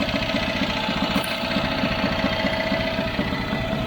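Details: Bespoke three-wheeler with a Citroen 2CV air-cooled flat-twin, first run after 25 years of barn storage. Steady, slightly lumpy idle with no knocking or misfire; running fine.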